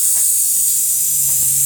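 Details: Car being prepared for dyno tune, charge piping pressurized during boost leak test: loud constant airy hiss with almost no low end; large boost leak in pressurized charge piping.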